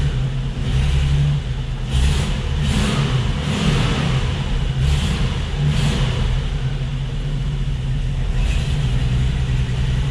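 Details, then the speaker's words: AMC 232 straight six at idle, plug wire already swapped and still skipping: rough running with a recurring stumble; a lean misfire from a leaking intake manifold gasket. "still got a skip. Well, we're gonna go old school now."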